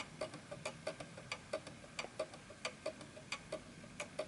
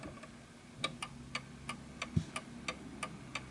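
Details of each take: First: 1920s Napoleon hat 8-day mantel clock standing on an uneven surface: tick-tock about ninety per minute with the tick longer than the tock, out of beat until it stops; the fix is adjusting the calibration prongs. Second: Antique 1920s Napoleon-hat 8-day chiming mantel clock, freshly wound, pendulum just adjusted into beat: crisp, evenly spaced tick-tock about three per second with no limp, so the clock is in beat and running healthy.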